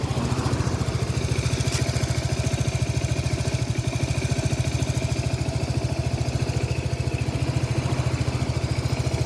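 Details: Close-up of a faulty Lexmoto Nexus 125cc single-cylinder engine at idle: thumping about three beats a second with a slightly uneven, stumbling rhythm, consistent with a misfire.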